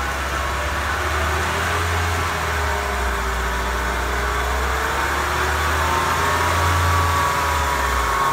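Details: Car raised on a jack, each front wheel driven in gear, the right one at up to 60 km/h, to locate a humming bearing: steady low hum with faint whirring tone; the right front wheel bearing is the damaged one.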